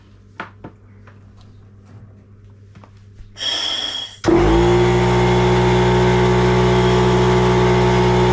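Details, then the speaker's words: Homemade hookah diving setup on a Stanley oil-free compressor with activated-carbon filter, regulated to 4 bar from 10 bar service pressure: motor starts into a steady, even hum with constant airflow hiss, no leaks; normal running. "Donc on entend pas de fuite, tout est bon et l'air arrive."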